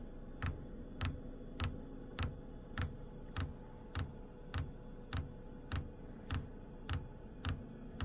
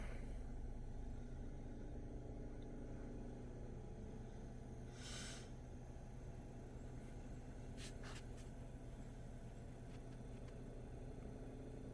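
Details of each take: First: Wippro diesel heater with E8/E10 codes, failed fuel pump replaced with one from a second unit, first fitted backwards then corrected: crisp even ticks about every 0.6 s as the dosing pump primes the line, air bubbles visible; normal. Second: Wippro diesel heater trying to start: only a steady low fan rumble with no ticking. The fuel pump gets a signal but doesn't pulse; tapping doesn't help, and it ends in an E10 code after multiple failed starts.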